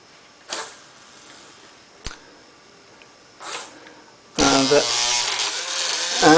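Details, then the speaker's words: Fischertechnik pneumatic hand, pivot motor: a few light clicks, then a whine with rough, gritty, wavering grinding as the gearbox comes loose and the gear slips out of mesh. "there we have it again as you can hear the gearbox has come loose so that is a [Music] problem so let me stop the program shift it back into the pivot gear and run it again"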